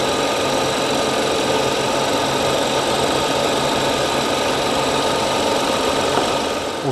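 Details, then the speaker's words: 2014 BMW 740i (F01/F02) with N55 six-cylinder after crankshaft position sensor replacement and intake manifold and starter refit: steady, even idle hum with faint whine, no misses or knocks, no check engine light. "okay now I have the battery connected already I'm going to go ahead and start the [Applause] engine all right sounds good no check engine light"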